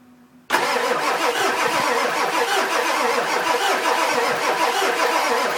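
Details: 2000 Ford F250 7.3 diesel, 208k miles, everything under valve cover new except injectors, new CPS: starter engages, engine cranks with ragged uneven whir but never catches; crank no start, owner suspects injectors.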